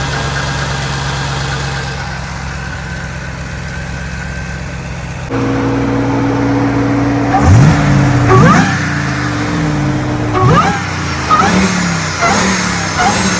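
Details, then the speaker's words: Ram TRX with a 702 hp supercharged Hellcat V8, recorded right next to the supercharger up front: a rough idle, then revs where a high supercharger whine rises and falls sharply with each blip, which is normal. "we're going to fire it up again and we're going to show you how it sounds right next to it whining cuz it sounds different than the back"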